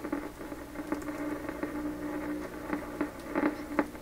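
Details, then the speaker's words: 1928 RCA Victor 28V radio after rebuilt capacitors were installed, with the antenna connected and the line at about 87 volts: a steady tone broken by irregular sharp crackles and pops. The cause is unknown and performance disappointing. "What's all that noise? Wow, it's an extremely disappointing showing here."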